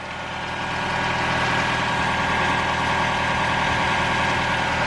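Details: 2021 Toyota RAV4 Prime SE on fresh 0W-16 oil after its first oil and filter change, running in charge mode during a leak check: smooth, even idle with a steady hum and no knocks or ticks. Idles healthy; no leaks found.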